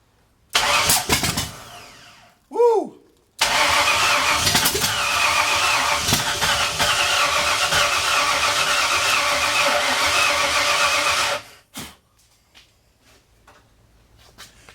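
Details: 1964 Ford F100, off the road since the 1990s, with a roller-cam 302 from a 90s LTD. The loud, raspy V8 catches after brief cranking and runs unevenly through open pipes, consistent with ignition timing still slightly out.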